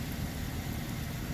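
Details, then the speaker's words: 2014 GMC Arcadia 3.6L AWD idling after repair of an exhaust leak at the flange after the catalytic converter, fixed with split flanges and a new gasket; smooth, low, quiet exhaust note with no puffing. "It's not pretty, but it's quiet, right?"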